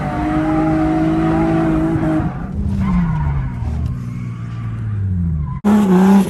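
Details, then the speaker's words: Drift car, after a day of misfire and rod-knock trouble, now running good on its first run: engine pulls cleanly through rising and falling revs under heavy tyre squeal, no stumble or misfire. "I'm going up for my first run with the car actually running good right now, so I guess just wish me luck, guys."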